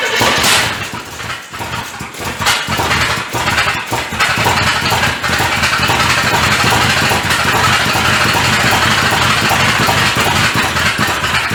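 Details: 1985 Chevrolet C30, diesel-to-gas engine swap, first start: loud, ragged, uneven roar with no steady beat, heavy smoke; sounds like firing on about three cylinders, firing order to be checked; rough running, cause unknown.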